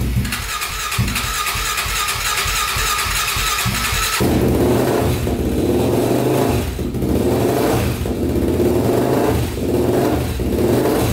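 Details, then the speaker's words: 1999 Honda 400EX quad, single cylinder, first start after honing a cylinder scored by stuck piston rings and rebuilding, turbo not yet connected: starter churns about four seconds, then it catches and answers throttle blips cleanly; starts and runs fine. "all right so that starts up that's good"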